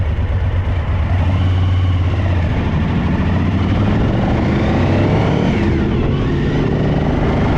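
V-twin idling with an uneven, stumbling low beat and dropped pulses, pointing to one cylinder, likely the rear, misfiring.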